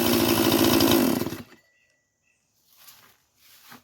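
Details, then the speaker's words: Echo truck chainsaw started after sitting in the truck several months on old fuel: steady high buzz, runs clean about 1.5 seconds with no stumble; runs good, chain needs tightening. "and it seems to be running good do need to tighten that chain a little bit though we'll do that later"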